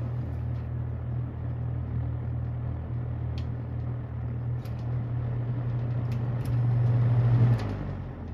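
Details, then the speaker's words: Restored ~1977 Superlectric 2083 fan on high: constant low electrical buzz under the airflow rush, heard only at high speed. "strange yep only High only on high does it make that sound that is so strange"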